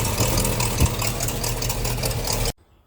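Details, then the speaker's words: 350 Chevy small-block V8 idling: fast, sharp puffing tick over the beat, sounding like exhaust manifold leak but actually exhaust blowing past the intake manifold gasket where soot shows; gasket to be replaced. "it sounds like a leaking exhaust manifold but what it actually is is that area that I was pointing at"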